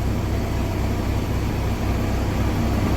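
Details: 2021 Kenworth T680 diesel idling just after an oil pan replacement, refilled with oil and primed; oil pressure up to 40 PSI, no check engine lights, airbag air leak present. Deep, steady rumble with an even beat, no knocks or misses; clean idle.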